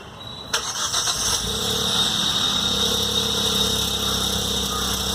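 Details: Hyundai Venue 1.0L turbo petrol cold start; fast idle with steady high-pitched whine and rattly ticking, dealer unable to fix; cold start engine noise, cause unknown.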